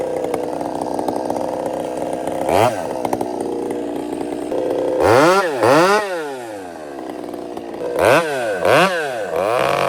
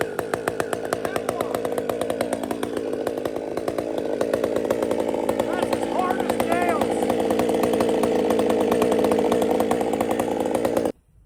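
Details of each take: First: Chainsaw with throttle response improved, idle turned down and carb richened slightly: rough, burbling revs rise and fall in repeated blips, breaking up near the top; slight four-stroking from the rich mixture. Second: Chainsaw after a major repair, previously hunting at idle: even, steady two-stroke idle with a crisp beat that holds without hunting. It now runs clean.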